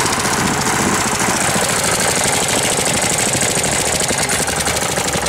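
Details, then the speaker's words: 1998 Briggs & Stratton 60 Intek Edge 6 hp engine after oil change and leak repair: harsh ragged clatter with dull knock that never smooths on throttle, sounds like seizing despite correct oil; stalls and won't restart; owner suspects valves need adjusting. "Bizarre le bruit qu'il fait. On dirait qu'il va serrer. Pourtant, il y a de l'huile hein dedans au niveau."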